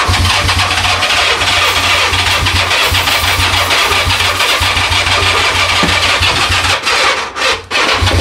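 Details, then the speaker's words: 1982 Honda Goldwing GL1100 barn-find parts swapped onto parts-bike frame, never heard running; starter cranks steadily fast with low chuffing for about seven seconds but engine won't fire; later starts with bigger jump box. Long cranking without starting. "And we're gonna see if she fires. At least if she cranks. Well, if she cranks. Cranks pretty good. We got crankage."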